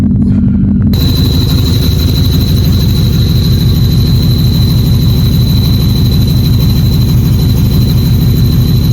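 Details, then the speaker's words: Supercharged Mustang with manual transmission, engine running with a low rumble and a faint constant howl on top; owner suspects the clutch slave cylinder is failing, not confirmed. "so that note I believe my slave cylinder is getting ready to say bye-bye and when I say that let's check out this noise that it's making give me one second so if y'all listen clearly you hear that that little howling noise"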